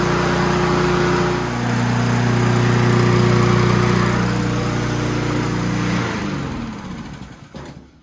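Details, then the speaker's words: Honda GCV160 push mower after service (oil change, new air cleaner, PCV breather hose reconnected): single-cylinder engine runs at steady, even speed with smooth beat, then winds down at shutoff; healthy. "And that is what success sounds like, people."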